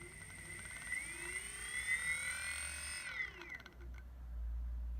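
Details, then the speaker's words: Evolve ONE electric skateboard, replacement motor after original seized and ground, bench test held by cord; clean electric whine climbs smoothly, holds, winds down evenly with no grinding or clicking; normal motor spin. "so it does spin and we'll see how it does"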